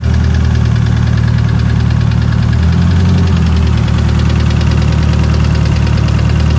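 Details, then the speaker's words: Sandrail with a 2.3 Ford turbo engine idling before a lifter replacement; a light, quick tick at about four per second over the engine note; owner suspects lifter tick. "okay quick update working on the sand rail it had a well i'm hoping it had a lifter tick"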